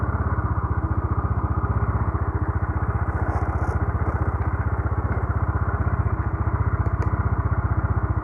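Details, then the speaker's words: Carbureted motorcycle that had been hard starting and dying at idle, re-jetted from 110 to 120: starts on one click, steady even putter at idle with no stumbles or knocks; normal idle. "Ganda. One click."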